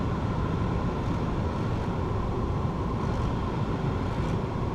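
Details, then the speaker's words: Ford Fiesta Edge heater blower after a complete dashboard swap following a crash; steady, even rushing air with a low hum and no rattles, ticks or squeals. Normal heater blower fan. "Yep, that sounds fine."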